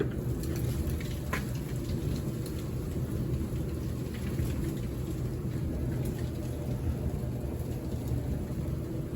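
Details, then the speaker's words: Kenmore 700 Series dryer, previously making a loud metallic scraping noise when spinning, after cleaning out lint and cleaning the wheels and belt tensioner: steady, even low tumble rumble with no scraping. Normal dryer operation. "Run smooth. That was it. Just check your pockets, folks."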